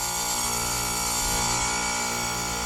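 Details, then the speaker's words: Lennox heat pump causing a noise complaint, running. Loud steady hum with a sharp high ringing whine; bad compressor valves suspected, and the technician concludes the compressor is bad. "Yeah, it's that compressor. Got a problem with the compressor in this thing."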